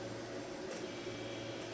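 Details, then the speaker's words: Wormhole rotary tattoo pen from an unboxed kit, loaded with a cartridge and turned up from 4.5 to 8 volts with the needle protruding a lot: a steady, loud buzz with a rattly edge, running noisy and vibrating excessively rather than smooth. "It's noisy and it kind of vibrates a lot."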